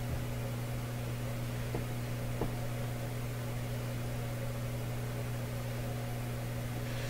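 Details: Canadian Admiral J104X/J105X console tube amplifier after adding an extra filter capacitor: steady low mains buzz with faint higher overtones, constant level; hum stays in one channel after swapping tubes.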